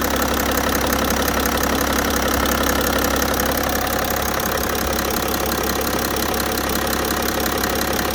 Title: e60 530d m57d3 "knock knock"bad engine sound.